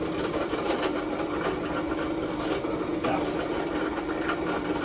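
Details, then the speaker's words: Fobco drill press running unloaded: steady hum with a hissy, rough whirr and scattered rattly ticks; owner suspects worn bearings, with chuck runout measured. Not confirmed. "so that's to me that sounds like like warm bearings"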